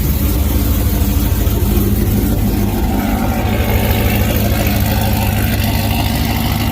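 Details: Deep, even, unbroken V8 burble with no knocks or misses at warm idle on a Ram 1500 swapped to a 392 Hemi with past fuel-pressure issues; a healthy warm idle.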